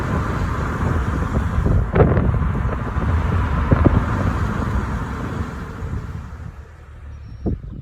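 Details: Test drive in a neighborhood, listening for thumps or squeaks under braking after a brake rattle fix: road and wind rumble fade steadily as the car slows, with no clunk or squeal; quiet, healthy braking.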